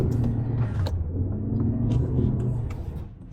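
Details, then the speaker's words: Cheap restored W12 Bentley Continental with 6-speed ZF automatic, first drive on road: irregular dull knocks about three a second through road rumble from the front left suspension, the fault found earlier; otherwise running smooth. "Ooh, knocking in the front left. That's that stuff that we found earlier."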